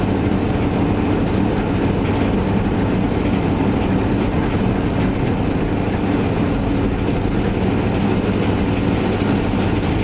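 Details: Van test-driven before repair: loud, raspy low rumble with an unmuffled roar underneath. Later traced to a bad exhaust donut gasket, both mufflers rusted out and a holed tailpipe section; exhaust leak.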